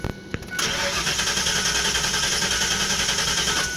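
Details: 1996 Ford Explorer 302 5.0L V8 that left the owner stranded, cranking: steady starter whirring with even pulses three or four a second, never catching; cranks fine but won't fire, fuel pump suspected.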